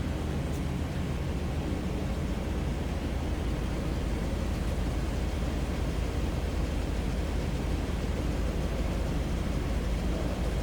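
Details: 1997 Chevrolet Silverado K1500 regular cab 4x4, heard at the rear from the tailpipe: steady, even rumble with no misses, ticks or surging; normal idle.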